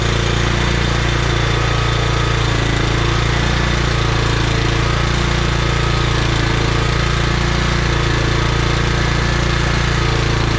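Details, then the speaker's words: Scotts by John Deere lawn tractor repowered with Kohler Command, started by cranking with key circuit bypassed: steady, even high-speed drone at full throttle, no dips or misses; running cleanly. "But for this to fire up just from cranking it like that and it running at full throttle, it was on choke, took it down to full throttle, and ran really well actually."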